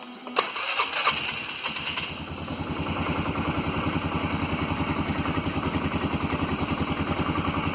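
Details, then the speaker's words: Polaris after replacing the idle air control motor pigtail connector and harness: cranks briefly, catches, then a steady, even idle with a regular beat and no hunting or surging; normal idle, wiring correct. "Alright, seems to be idling nice. Okay, so I guess I got the wires hooked up right."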